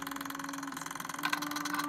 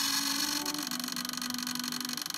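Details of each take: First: Realistic Model 999 reel-to-reel player/recorder: steady low motor hum with a quick, even flutter; the idler motor runs smoothly in the correct direction, as it should, unlike its faulty wrong-direction running. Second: Realistic Model 999 reel-to-reel: the just-oiled idler motor, which has trouble running in the correct direction, gives a thin scratchy rasp over a wavering motor tone that drifts up and down in pitch. Cause unclear.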